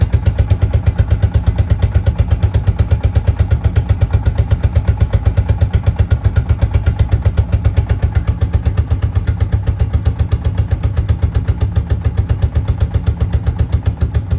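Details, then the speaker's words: 2004 Suzuki King Quad ATV cold start at about 20 degrees outside with full choke: steady low thudding about four beats a second that struggles to stay running before it finally keeps going. "again it's very cold so it may not want to stay running but I'll get it running okay I got it running"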